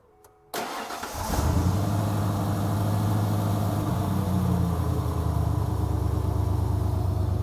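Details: OBS Ford Bronco, cool day, fired up with the belt removed after a clicking from a suspected bad fan clutch that wobbles: it cranks, catches and settles into a smooth idle with no clicking.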